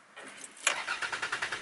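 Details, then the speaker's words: Car starter turns the engine over with quick, even pulses, about eight per second, and a faint catch, but the engine never fires. A starter fault is suspected but not confirmed. "but no any starting and what that means if I have that kind of situation this means that starter is"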